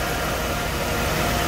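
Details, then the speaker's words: 1990s Mercedes-Benz (1998) six after full engine-bay overhaul with new water pump, thermostat and housing, belts and pulleys: steady, smooth idle hum with no knocks, misses or ticks; healthy running. "kalian bisa dengerin sehalus apa suara mesin mercedes-benz padahal tahun 90-an"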